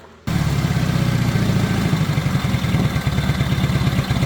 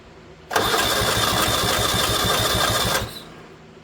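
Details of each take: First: 1970 Honda N600 sedan engine run on a borrowed carburetor and coil with freshly cleaned points, fuel lines moved off the exhaust: fires and settles into an even, slightly busy idle about 1,200 rpm or a bit more, no misses; normal idle. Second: 1970 Honda 600 (N600) sedan engine with a freshly built carburetor fed by an emergency fuel line from a gas can: an even starter churn with no catch at all, cranks but won't fire. Spark at the points is checked next.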